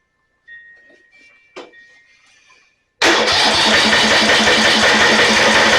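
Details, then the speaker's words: Snapper 28" riding mower, 12.5 hp Briggs & Stratton, electric start, hard starting: few clicks then steady rapid cranking about four beats a second, never catches; no spark at plug, traced to a shorted kill wire. "Sounds like we don't have any spark. Let's take the spark plug out."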